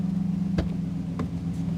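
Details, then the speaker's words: 2014 Dodge Ram 5.7 Hemi V8, about 200,000 km, after engine rebuild for knock, warmed up, oil pressure normal: smooth even idle with steady low hum, no ticking or knocking; normal idle. "Мотор полностью собран и мы уже сделали несколько запусков с прогревом. Двигатель работает отлично!"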